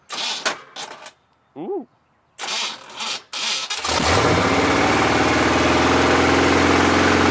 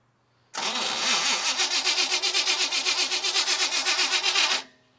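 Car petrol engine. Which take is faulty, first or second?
second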